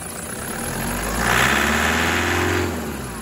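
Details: 2008 Prado 120, brand-new 1KD diesel with new injectors, stone cold around 7°C: light rapid knock over uneven idle, swelling with brief revs; normal cold injector noise for this engine, diagnostic readings excellent.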